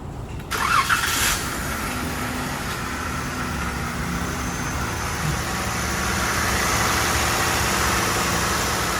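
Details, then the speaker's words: Truck at idle after misfire repair, run all day through checks. Starts and drops into a smooth, steady idle with no skips or stumbles; firing is even and purring. No more misfire, normal idle. "Purrs like a kitten. No more misfire."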